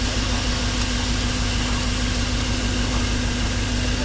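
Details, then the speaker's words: 1985 Chevy 305 V8 with distributor ignition, idled up a little: uneven, loping rumble; misfire on cylinder number six shown on a Pico scope with a First Look exhaust sensor. "and as you can see uh the misfire is showing up on the number six"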